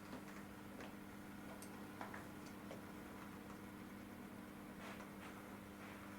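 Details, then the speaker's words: Model railway loco crawling slowly over a track kink that previously clunked, after the bend was modified and fishplates aligned: quiet, steady motor hum with faint light ticks and no clunk; the track now runs smoothly. "and you can see that is now a nice smooth bit of track no clunking it can go backwards just give you a bit of sound"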